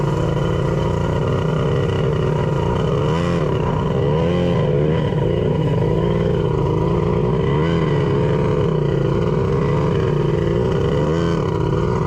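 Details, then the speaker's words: Custom cylinder head engine running with a steady drone but uneven, lumpy beat; sounds like it is running on only two cylinders. "foreign sounds like it's only running on two that's not ideal let's see do we have something obvious Happening Here it might just be applied but yeah it's definitely just run on too it's on that's on"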